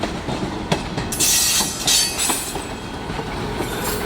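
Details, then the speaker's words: Union Pacific freight train rolling into Valley Park Yard, Shakopee, MN: irregular clanks and clicks as wagons cross the gaps at rail joiners, some wheel squeal. Normal jointed-track noise, perfectly safe. "the clanking of the tracks are caused right there you see the separation and the rails where the joiners joining the two rails there that's what's causing the clanking perfectly safe though"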